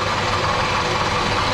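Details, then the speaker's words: Toyota Camry 2.4 at idle: harsh metallic rattle that is present with the belt tensioned and disappears when the belt is loosened; preliminarily diagnosed as a worn water pump bearing, first suspected to be the VVT-i clutches and not the ignition coil. "Звук есть. Ослабляю, звук исчезает. Звук есть. Предварительно это помпа. Ну, большая вероятность, что это помпа."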